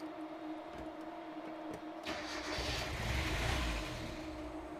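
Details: Miata with code 1 (cam angle sensor) fault, testing swapped cam angle sensor: about two seconds cranking, brief rough roar, then fades and dies instead of idling; starts then stalls, cam angle sensor suspected.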